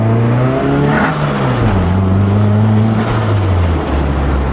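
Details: Boosted (turbocharged) 240 on its first drive after a wastegate spacer install; the engine note rises and dips smoothly under load with no puffing or ticking from the exhaust. The turbo pull sounds tight and healthy.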